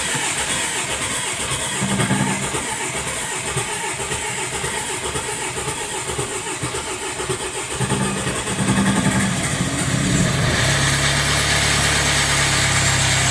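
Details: Jaguar F-Pace 204DTD diesel, first start after owner's rebuild with used polished crank, engine mounts not yet connected so whole engine shaking: catches and settles into shaky, uneven idle with lumpy low rumble; pretty rough.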